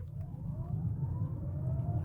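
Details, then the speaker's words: Audi E5 Sportback electric car in sport mode, hard acceleration: a thin tone climbs steadily in pitch over road rumble, the drive motor's usual loud whine, like an electric bus. "แต่สิ่งที่แปลกที่สุดที่ผมเจอในรถคันนี้คือเสียงมอเตอร์ขณะเร่งความเร็วนี่เป็นเสียงไฟฟ้าทั่วไปเช่นเดียวกับเสียงที่คุณได้ยินในรถบัสไฟฟ้า"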